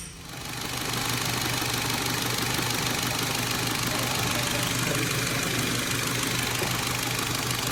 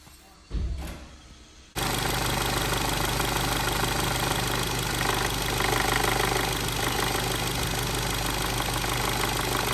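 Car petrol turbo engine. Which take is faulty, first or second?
second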